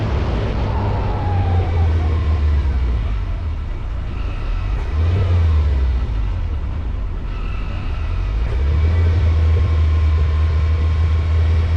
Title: Ferrari 308 misfire and loss of power on mountain top